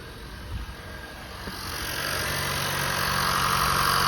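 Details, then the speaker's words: 2015 Honda Fit at 87,733 miles, cold start in the engine bay just after its 90k service (VTC spring, valve adjustment, walnut-blasted intake valves, new drive belt): smooth, even cold idle with no knocks, ticks or misses, smoother than before the work. Normal. "Smooth, sounds very smooth. Listen to that. And it's cold too. Usually when it's cold, it's not that smooth as when it's warmed up."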